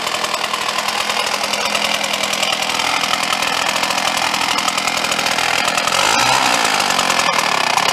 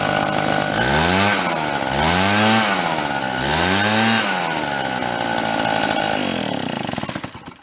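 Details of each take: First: Red Max EBZ7500 commercial backpack leaf blower, which had grown louder over 1.5–2 years: harsh, high-revving two-stroke roar with a rough, rattly edge before it cuts out; teardown found the cooling fan loose. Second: RedMax EBZ7500 backpack leaf blower two-stroke after teardown and repair with fiber washers, run 5 to 10 minutes: blipped from idle to high revs three times, clean pitch changes with no knock or rattle; normal running.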